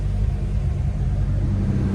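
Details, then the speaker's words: C5 Corvette V8 after rebuild and intake top taken apart again, running about 30 minutes, at operating temperature, a few bubbles still in coolant reservoir: brief rev, deep even rumble, no knocks, misses or squeals; running great. "yeah the car has been running for about 30 minutes now it is up to temperature we're still getting a few bubbles out of the uh out of the reservoir there but I'm about ready to go home I'm going to call it car is running great"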